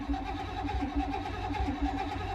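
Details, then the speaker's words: Non-running car, first battery hookup: starter turns it over with lumpy uneven beat but it never fires; owner suspects one cylinder down on compression, fuel pump audible, wonders about no fuel or clogged filter. "Turns over, but feels like maybe one cylinder is down on compression. Doesn't really do much, but let's see if we can hear the fuel pump."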